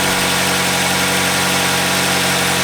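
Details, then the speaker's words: Even, steady idle with no knocks, ticks or misses on a 2010 Kia Soul 2.0-liter ultra-low-emissions engine with about 220,000 miles; runs fine for its mileage, normal idle. "Let's fire it up and hear what it sounds like. Not too bad for something with 220,000 miles on"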